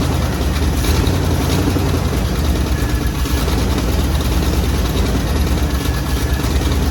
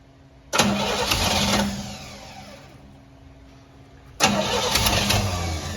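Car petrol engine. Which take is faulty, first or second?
second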